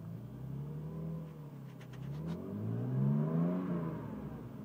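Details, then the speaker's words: 1989 Mercedes-Benz W124 300E, long-sat project car, coolant just below sensor: smooth six-cylinder rev, pitch rising and falling evenly with throttle, no knocks, misses or rattles; sounds really good. "Sounds really good. I absolutely love the car."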